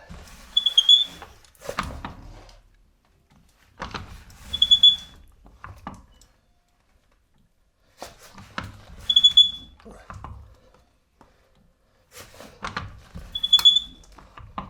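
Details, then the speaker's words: Caravan overrun (Auflauf) brake coupling, service history unknown: high-pitched squeak with each push of the coupling, four strokes, from the dry mechanism before greasing the nipples with multipurpose grease. "Wir wollen uns halt auch mal um die Auflaufbremse kümmern, da diese ziemlich quietscht und ich nicht weiß, wann wurde sie das letzte Mal gemacht."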